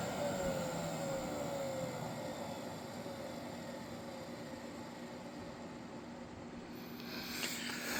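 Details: Mid-to-late-1980s Electrolux 2100 canister vacuum, hose and power nozzle disconnected: steady constant-speed roar with a sliding high whine over a coarse rumble, rougher than it should be; owner unsure if motor is failing or a louder replacement.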